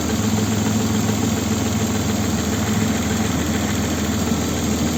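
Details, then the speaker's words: Opel Vectra B V6 (X25XE) on LPG: uneven, lumpy idle with a dull irregular thump; engine shakes and misfires on gas and petrol; diagnosis shows cylinder 2 dead, with cylinder 6 and slightly 4 also weak. "дьоргається смикається двигун бачимо [музика] троїть ось зараз перейшов на газ його трясе"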